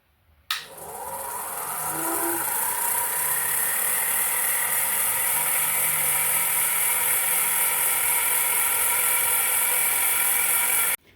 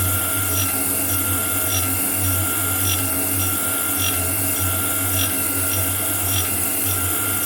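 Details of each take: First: Shaper grinding attachment spindle on its first test run, driven by an underpowered motor: a steady high whir with a gritty rasp from start-up to shutdown; spindle bearings noisy and preloaded too tight. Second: Homemade grinding attachment on a metal shaper, test grind with a dressed wheel on a shear tool: steady wheel hum with a soft rasp on each ram stroke, about once a second. A normal light grinding pass with a good finish.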